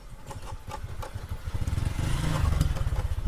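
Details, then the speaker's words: TVS Striker motorcycle running with an irregular loose clatter from the front end, as if something were breaking; cause is the front brake caliper rattling, not the headlight or steering head. "TVS striker এই বাইকটির problem হলো সামনে একটি back sound আসতেছে, যেমন কিছু ভেঙে চলে যাচ্ছে।"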